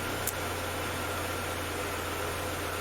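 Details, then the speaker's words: Mercedes W201 190E 2.0 petrol, over 30 years old, just after fuel pump replacement, pump now audible: steady, even idle with constant low hum, no misfires, ticks or stumbles; engine running smoothly. "The pump is actually working, and the car started, because it started before when I changed the fuel pumps, but"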